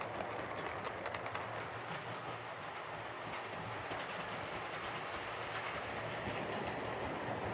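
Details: Hornby R2553 Princess Coronation Class "City of Bristol" model locomotive after repair of mangled rods and noise issues: the small motor hums evenly under a steady rail clatter with no stalls or stutters; normal running.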